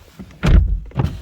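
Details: High-mileage BMW 1 Series four-door 1.8 diesel, ignition on, charging and diagnostics pending: the power windows lower with two short, clean motor whirs and no grinding, clicking or straining. Normal power window operation.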